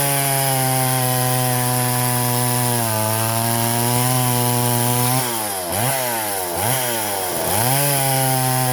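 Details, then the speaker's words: Poulan 3400 Countervibe (Craftsman 3.4) vintage chainsaw cutting wood after lowering the too-high carburetor diaphragm metering lever; strong high two-stroke scream dips in pitch as each cut loads it, then recovers cleanly; running healthy. "all right she's a little honey"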